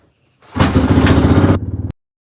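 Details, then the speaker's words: Suzuki DR350 single-cylinder, unrun for over ten years, with choke off: fires up cleanly and runs with an even, steady thump about a second before cutting off; sounds healthy, though later it backfired and wouldn't restart. "But boy, she started up pretty good. I'm gonna give her another try. Turn the choke off during that test run, and it seemed to run okay."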